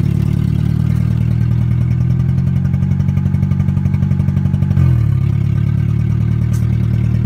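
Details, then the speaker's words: Engine idling with a light, constant tick about four per second throughout, sounding like a lifter or valve tick rather than rod knock; owner suspects a damaged valve or lifter, also possibly a vacuum leak, not confirmed. "well it sounds like a lifter tick might have been it's 14 I mean still idling like [ __ ]"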